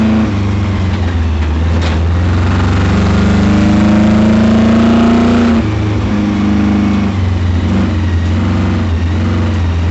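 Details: Chevrolet Camaro V8 at full throttle during an autocross: rough, uneven beat under load that first seemed like a misfire but turned out to be a spun rod bearing.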